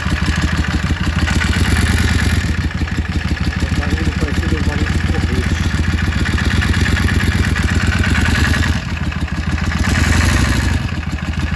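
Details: Yamaha Drag Star XVS650 V-twin idling: busy rapid mechanical clatter over lumpy exhaust beat; noisy engine, source undiagnosed, owner seeking diagnosis help.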